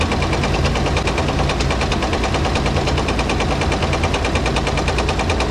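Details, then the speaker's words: Dodge M37 military truck engine revived after sitting about 15 years, at very low idle: heavy, fairly regular metallic knock about three a second over a rough idle; owner suspects rod knock, unconfirmed; engine knock. "this thing's running really really good though this this dang rod knock I'm going to go get me a uh a hearing piece"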